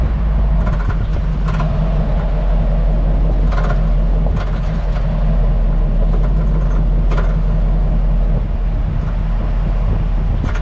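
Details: Hummer H2 driving at 10–20 km/h: irregular light clunks and rattles over road rumble from the rear/cargo area, felt as tapping; new springs, shocks, spring seats, sway-bar links and bushings didn't help; cause unknown, years-long suspension rattle.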